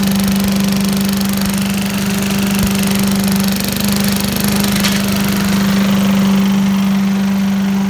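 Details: 1980s Billy Goat vacuum single-cylinder engine after fresh fuel: steady buzzing speed, even drone, no stumbling; hard to start, owner suspects low compression, but runs cleanly once started; normal running.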